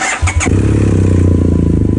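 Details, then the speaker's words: 2011 BMW F800GS (Rotax) with K&N filter and open exhaust, which stalled when warm or downshifting, just after loading an open-exhaust map on a Dynojet Power Commander 6: quick crank, catches at once, steady even low idle; healthy start. "Started, it's working, we're going for a test ride."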